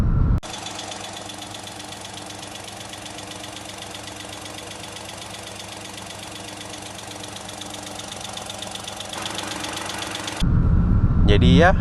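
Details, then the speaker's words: Toyota Raize 1.2 G CVT, about one year old, at its third service: small petrol engine idling with a steady tapping, roughly four per second, over an even hum; owner unsure what it is. Abnormal engine noise. "jadi si mesinnya bunyi-bunyi gini nih entar saya e apa selipin klipnya tentang bunyinya gimana Menurut kalian itu bunyi apa"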